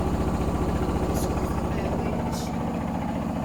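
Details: Hotpoint Smart Tech washing machine, badly unbalanced spin: heavy rhythmic thumping at about two and a half beats per second under a loud drone as the spin winds up.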